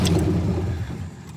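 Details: 1967 Lincoln Continental V8 that sat in a field for a year, started with gas poured into the carburetor. Catches with a rough burst of revs, then sags and dies within a second. Crank no-start from fuel starvation; owner suspects fuel isn't reaching the pump.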